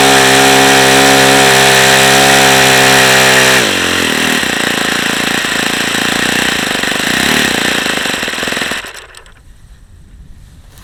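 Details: Saito FA-45 model four-stroke with badly worn bearings, 5% nitro, at full throttle with no throttle stop screw: high-revving buzz, steady then suddenly rough and uneven before dropping away; tired worn engine, seepage possibly from the front hub.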